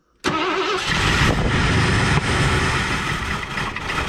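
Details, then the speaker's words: 1984 Ford Thunderbird 5.0 sitting for years, running on poured-in fuel after a backfire: catches abruptly, then runs rough and surging with lumpy, unsteady revs; injectors not delivering fuel. "oh she fired she runs smooth when it runs go she's got horrible gas mileage"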